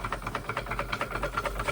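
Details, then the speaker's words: Restored Wilesco D32 small steam engine on its first run, chuffing evenly at about seven beats a second with gurgling and no rattles or knocks; sounds like a normal, healthy engine. "This is a really early days run, but it don't sound like like a bad engine to me. No rattles. You can hear it gurgling."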